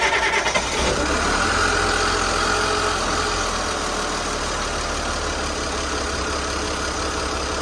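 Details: Boat diesel engine on a restart after repairs and retightening loose injector bolts: catches into an uneven, lumpy idle with banging, shaking and skipping like a miss; suspected failing injector pump, poor fuel delivery or injectors.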